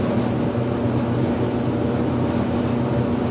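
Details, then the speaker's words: Speed Queen gas dryer with its cover open, on a wattmeter: the drum motor starts with a steady, even low hum and faint mid tone, no knocks or scraping, then the hot surface igniter comes on; normal dryer running. "So that's the motor, and now the hot surface igniter is on."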